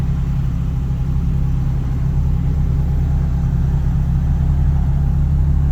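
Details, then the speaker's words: Mazda NA Miata with standalone ECU, first cold start of the day on a new custom remote idle control valve (old IACV failed): steady, even fast idle around 1,200 RPM, expected to drop to 1,000 when warm; normal cold fast idle. "All right, cold start. idles pretty good. 11,200 RPM or so and then hopefully everything idles down and then it's ready to rock."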